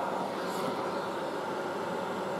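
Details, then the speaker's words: Late-1960s General Electric HD-8C bonnet hairdryer, bought second-hand and tested running: even, steady blowing rush, no rattle or scrape, smooth fan note; very quiet, warm on the hot setting, normal hairdryer running. "it's pretty damn quiet have a listen to this"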